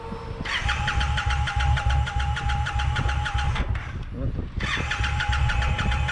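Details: Brand new Indian Scout Bobber: starter whirs with quick even cranking pulses, pauses, then cranks again, but the engine never fires; crank, no start.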